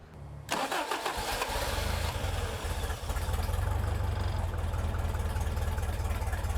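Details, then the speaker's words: Toyota 22RE in a buggy with an all-new fuel system, throttle cable unhooked, after repairing the injector resistor wire: steady, fast cranking that never catches. It turned out the replacement fuel pump lacked the right output pressure, so it wouldn't start. "But turns out that the replacement pump, which didn't have the right output uh fuel pressure, so the engine wouldn't start."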